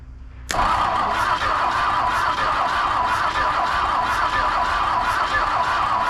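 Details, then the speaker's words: 1959 Ford Thunderbird 352 V8 parked 33 years, freed engine cranked off hot wire with gas in carburetor: starter whirrs with even compression beats about twice a second but never catches; no spark, coil to be tested. "Alright, no spark. Give it the old Mortsky flick. Still ain't getting anything."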